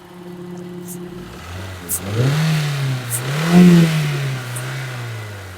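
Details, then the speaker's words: Toyota Isis 1.8 petrol MPV with 245,000 mileage revs smoothly twice and settles back, quiet with no knocks or rattles. Only a worn engine mounting shakes; healthy free-revving engine. "Ah tuan-tuan boleh dengar sendiri tuan-tuan bunyi dia masih lagi mengaum dengan segar sekali tuan-tuan."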